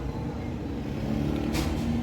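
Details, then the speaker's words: 2011 Toyota Belta idling with a blinking check engine light and code P0301: uneven, lumpy low beat with occasional stumbles. Cylinder 1 misfire, with a wrong 5 V reading found at the cylinder 1 coil connector. "1 cylinder miss firing कर रहा है।"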